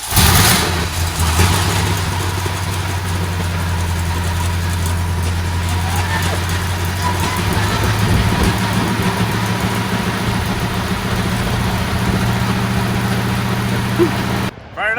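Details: 1956 Monarch Lucerne with a 351 Cleveland V8 and 4-speed toploader, first start after sitting about 22 years, with fresh oil and a carb cleaned after 22 untouched years: deep, steady idle with an even low rumble, no misses or knocks; running smoothly.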